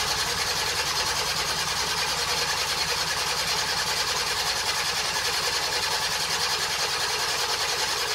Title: Baotian Rocky 49cc 2 stroke 2010 first start in 3 months.